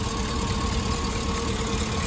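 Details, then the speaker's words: Cadillac Escalade 6.0 LS V8 after water pump replacement (old pump had play) and a loose pulley replaced, coolant topped off: smooth even idle, steady low rumble, no knocks, ticks or squeals; normal idle. "she's running good not making any weird noises that water pump ain't moving all over the place with the rubber soil wobbling everywhere it just sounds good"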